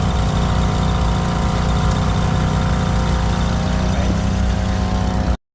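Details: Nissan vehicle that would not start, now running: smooth, steady idle with an even low rumble, no misses, knocks or hunting for over five seconds; healthy normal idle.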